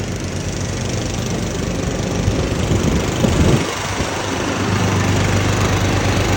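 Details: Husqvarna YTH21K46 mower, Kohler Courage 21 hp engine, 337 hours, after the exhaust was welded and refitted (it was 104 dB before): a steady low putter with even rumble, no rasp or blowing leak; normal exhaust sound.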